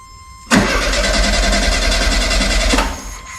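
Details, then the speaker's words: 1972 VW Super Beetle stored about 20 years, wheels off ground, fuel line detached, pump pushing brown old fuel: starter spins evenly about two seconds with no firing; cranking, no start as no fuel reaches engine. "okay it's pumping but it's uh brown stuff it's not fuel yet go ahead"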